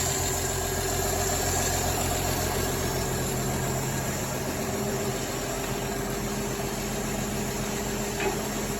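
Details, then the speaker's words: 1953 Chevy inline six, first run after 23 years sitting: very quiet, even idle with soft steady hum, no ticks, squeaks or rattles, smooth and healthy. "hey you can barely hear it runs o sorry it's crazy man it's quieter than a lot of new cars no squeaks or rattles"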